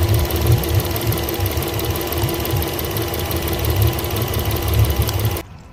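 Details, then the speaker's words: Yamaha outboard (port engine) on Pursuit 385 running poorly, after swapping coil and plug between cylinders: lumpy low idle with uneven skipped pulses; still running rough, so not plug or coil, injector suspected next. "all right so she's still running rough now let's pull our number three"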